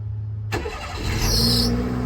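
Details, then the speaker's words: Turbocharged Daihatsu Mira cold start: a thin, high, steady squeal rides over the idle and swells briefly, louder than before; the source is unknown, with a boost leak seemingly ruled out and the owner suspecting a belt or pulley. "Wow, that squeak is even louder. Maybe it is one of my belts / pulleys."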